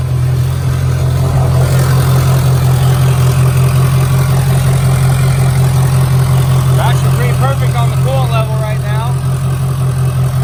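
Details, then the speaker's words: Diesel mud truck, first start since February after fire and water damage, new hose near the EGR pipe and new glow plug control module: deep, even idle with a steady low rumble and no knocks. It runs smoothly. "i'm going to go ahead and fire it up maybe do a little heat cycle on it"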